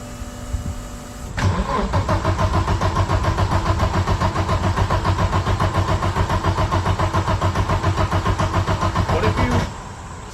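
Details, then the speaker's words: 1991 Audi 90 Quattro with big-turbo S2 engine: steady cranking about 3.5 turns per second for eight seconds without firing; fuel pressure drops while cranking, cause unknown. "As it's cranking, it's losing fuel pressure. Alright, I'll flip it back up."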